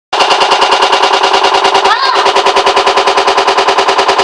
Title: Hotpoint WMAL641 Loud Noise. Any solution?